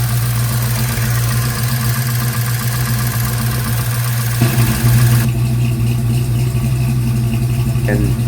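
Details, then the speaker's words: 1956 Chevy Bel Air with Chevy 307 V8 during break-in: steady idle with loud, fast, diesel-like valve train clatter; owner suspects the lifters, not confirmed. "I was able to run Christine and go through a little bit of a break-in time, but when I did, uh, I have a bad valve clatter. It's It's loud."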